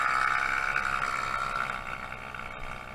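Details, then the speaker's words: Honda Zoomer scooter on its first road test run after swingarm and final drive gear replacement, unridden since early October: steady, even drone easing slightly as it settles, no knocks or rattles. Normal running. "it's nice and smooth so far so far so good feeling nice and smooth"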